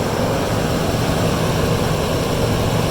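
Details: 2006 Lexus LX470 2UZ-FE VVT-i V8 just after rear water bypass gasket coolant-leak repair, still cold: steady even low hum at high idle, no knocks or ticks, no leaks; healthy.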